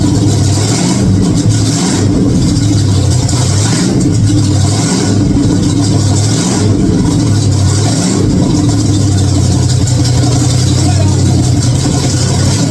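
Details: 1946 Chevy truck rat rod V8 fired up for the first time, oil pressure present: strong, even rumble swelling with throttle blips about every second and settling cleanly; running healthy.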